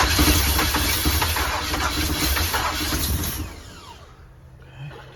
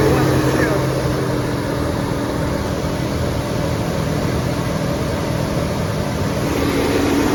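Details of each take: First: 454 big-block V8 RV, first start after priming the fuel pump and fitting plug wires and vacuum lines, on a cold 27° day. Labored, uneven cranking fires roughly for a few seconds then drops away; hard start from ignition timing too far advanced. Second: 1988 big-block 454 V8 in a 35-year-old RV, running on a 27° morning during cam break-in. An even, steady V8 hum holds at a raised idle with no ticking or misses. Normal fast idle, though break-in was cut short by overheating and the owner suspects a bad radiator.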